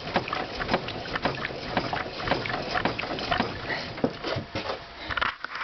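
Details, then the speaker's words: VAZ 2110 with Asomi front struts and strut mounts fitted last autumn: rocking the body brings sharp irregular clunks about twice a second, knock worsening since winter; owner blames the new struts, cause unconfirmed. "сейчас я вам это покажу начинаем раскачивать автомобиль как вы слышите доносится стоит а"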